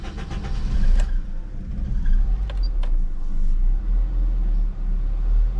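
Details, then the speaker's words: Honda CR-V B20 after cleaning idle control valve (ICV) and its blocked gauze filter: cold start cranks, catches quickly, settles into steady raised idle, deep even rumble; normal high cold-start idle it never had before. "so it appears that it now has a high Idol on cold start which it's never ever had"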